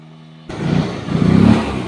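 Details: Yamaha Fascino scooter that would not start, after a roadside emergency repair: the engine catches at once, revs up cleanly and settles back without stumbling or rattles. Now running well.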